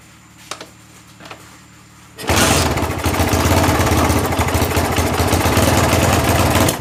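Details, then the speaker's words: Honda GL Max single-cylinder motorcycle after replacing the timing (cam) chain. It had been very noisy and long unused. A few faint ticks, then a loud, even, steady beat with no rattle: normal healthy idle. "Dan inilah suaranya setelah kami mengganti rantai timing,"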